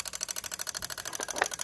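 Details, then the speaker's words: 1998 Lexus ES300, engine off: a relay in the underhood fuse box chatters nonstop with sharp, even clicks about fourteen per second; swapping in another relay did not stop it, so the fault lies elsewhere, cause unknown. "This Lexus 1998 ES300, the relay's making a clicking noise. So the clicking noise seems like it's coming from this fuse, this"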